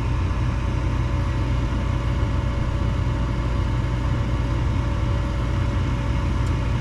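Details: Armstrong furnace with a no-heat complaint, after burners were brushed and vacuumed clean and the unit cycled off and on: steady even low roar with no surging, popping or flutter; burners lighting and burning smoothly.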